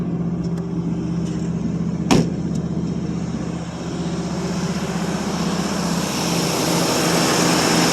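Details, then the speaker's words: 1952 Ford Customline 239 cubic inch flathead V8, about 138,000 miles, glass-pack exhaust, just cold started: low steady burble at idle with an even beat and no knocks or misses, about 40 psi oil pressure; running smoothly. "Well, they just run so nice."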